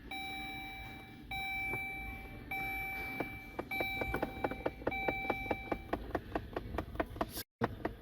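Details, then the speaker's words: 2013 Dodge Journey with the ignition on: a run of sharp plastic ticks from the dash, about one a second, over a faint hum. The blend door actuator under the glove box is skipping and clicking. "2013 Dodge Journey problem this guys is uh there's a tapping noise when you on the ignition here or if you run a vehicle stopping noise on the side so let's see that you can hear the topping"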